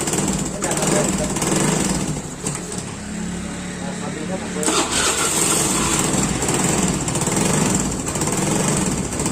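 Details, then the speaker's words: Fuel-injected scooter that dies without throttle, spark plug and ignition checked fine, fuel pump serviced: catches on the starter and revs unevenly, idle hunting and sagging; throttle body found black with deposits, a cause of unstable idle. "Dan begini setelah saya semprot keadaannya hitam, keratannya ataupun kotorannya sudah banyak. Jadi ini salah satu juga penyebab motor ini tidak stabil."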